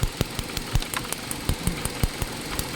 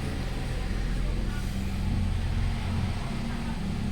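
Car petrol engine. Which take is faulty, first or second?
first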